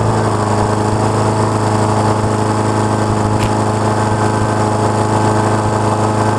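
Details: Honda HRX217 lawn mower, about 6.5 hp, that reportedly started then shut off, auto choke repaired, gas on and warming up: smooth steady buzz without surging or sputtering; running kind of okay, carburetor still to be checked.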